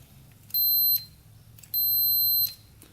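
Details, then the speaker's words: Electric start button on a custom pulling tractor with a swapped 500cc Honda motorcycle engine, long unused and not running: tester gives two short high beeps, the first under half a second, so the button makes contact only intermittently. "i don't think we're getting continuity between here when we hit the button just check here oh yeah i heard it for a brief"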